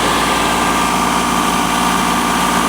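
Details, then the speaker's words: Lexus LS400, owner thinks 1997, short run with no coolant after a wire was tucked away from the belt: steady, even idle with a smooth hum and no misses, knocks or stumbles; runs like a top. "That's a shame, man. Really, that's a shame cuz she runs like a top. She really does. She runs really good."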